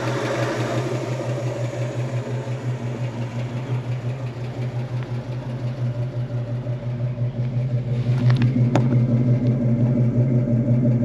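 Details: 1966 Ford Mustang with a 289 V8, warm with the heater on: an even, rhythmic lope at a low idle, about three pulses a second, with no misses or knocks. It sounds healthy; the idle is set slightly low and should be raised.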